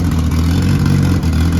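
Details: Turbo B20 engine after timing was checked with a timing gun and found slightly off, earlier knock gone, check engine light on (possibly MAP sensor): steady, even low idle with no knocking or pinging; engine sounds healthy.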